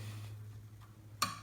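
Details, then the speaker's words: Small Arduino CNC router, axis moved by hand: one sharp click at a certain spot over a low hum, axis feels heavy there; clicking on linear axis, owner suspects a failed bearing. "Tá vendo esse tec, tec? Eu suponho que o rolamento deve ter estourado."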